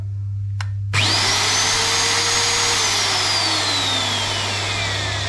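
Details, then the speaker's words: Eco magnet drill on first power-up check before any servicing: clean whir winding up quickly to a steady high whine with no grinding or rattle; the drill motor works well, healthy motor run. "So we got the power and on. So it looks like the drill are working well."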